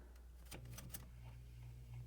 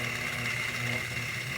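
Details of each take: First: Lakewood 200i fan, formerly run hard for years and sludged with excess oil, running after restoration with replacement guards: low, steady motor hum with air rush building as speed rises, no rub, rattle or wobble; normal running. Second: Lakewood 200i fan, in use since 2008 and heavily over-oiled, run with blades off before teardown: steady low hum with a thin whine; cabinet vibration hum, not the motor.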